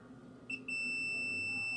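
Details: Angle grinder that won't switch on, meter probed at the switch points feeding the winding, commutator and brushes: a clean, steady high beep holds, showing brush circuit continuity is OK and the brushes are fine; the switch is checked next.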